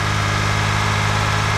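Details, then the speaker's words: Engine's first start after a timing belt replacement: steady, even low idle with no ticking, knocking or misses; runs smoothly, some smoke expected from residual old oil. "Sounds pretty good. It didn't blow up right away, so that's good."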